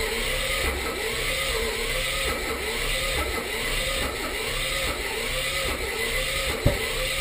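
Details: 1984 Mazda RX-7 rotary cranks steadily at about two beats a second with no firing; spark good on leading and trailing plugs, engine and ignition timing correct, Marvel Mystery Oil added to intake, fuel reaching carb; owner suspects low compression from stuck seal or slow cranking speed.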